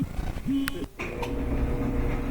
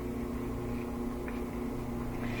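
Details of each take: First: Whirlpool gas dryer after refitting the slipped-off drum belt: after some handling clatter the motor settles into a steady low hum and the drum tumbles evenly; back to normal. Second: Whirlpool gas dryer, possibly Series 80, on a timed program: steady motor hum with no drum tumbling, and the drum spins freely by hand; the drive belt has slipped off the motor pulley and idler or broken.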